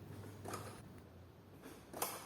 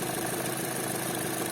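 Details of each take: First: 2012 Chevrolet Cruze 1.8 Ecotec, cold start after sitting several hours: brief clatter in the first two seconds of firing, then settles to an even idle; knock absent on restarts, cause unconfirmed. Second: Chevrolet Cruze 1.8 Ecotec, checked for a noise at startup: steady, even idle hum with no knock or tick; head and block oil pressure match, lubrication judged good; normal idle.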